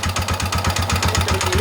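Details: Honda XL250 rebuilt from two trashed bikes, engine reassembled: crisp, evenly spaced thumps at about seven a second with no miss, knock or rattle; healthy single pulling smoothly, normal running.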